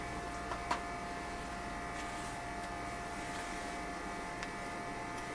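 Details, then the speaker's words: Xbox 360 cooling fan after repair of fans getting progressively louder from overheating, reassembled with game stopped; quiet steady hum, constant pitch, no rattle or speeding up. Normal fan running. "put it all back together again and it still seems to be working normal fan noise it's not speeding up or anything"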